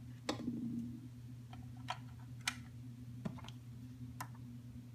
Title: Fan making loud noises